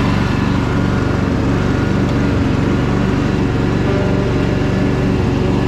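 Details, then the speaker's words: Free Craftsman DLT3000 lawn tractor after purging water from the fuel, oil good: even, steady engine note with smooth low drone, no misses or knocks; running healthy. "everything on it is really clean it's just that tiny little bit of surface rust but thing sounds awesome"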